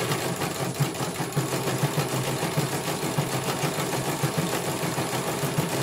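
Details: CNY computerized embroidery machine being test-run after a service for a motor that had not turned or made any sound at all. Steady mechanical whirr with a light, even stitching tick. It finishes one color and the technician says it runs very well.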